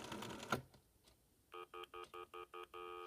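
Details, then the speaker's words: Telephone with loud G6 handset on a PAP2T ATA linked to C*NET, after dialing 9 (to CO3): handling clunk, then six short even beeps at about three a second leading into a steady tone; stutter dial tone, then normal dial tone. "heard those stuttering tones for a few seconds, and I'll dial 1-377-9901."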